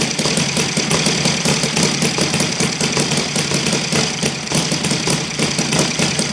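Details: Saito FG-60 R3 four-stroke spark-ignition model engine at low idle while Hall sensor timing is adjusted from early to late: irregular, shaky popping with rattly buzz, heavy vibration; timing suspected, but sensor position shows no clear effect.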